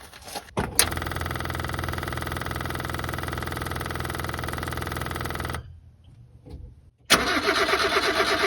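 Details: Subaru Sambar kei truck, won't start after winter storage, fuel line clamp just refitted; even cranking about five seconds, pause, cranking again with no catch, battery running down; fuel pump suspected, possibly dry.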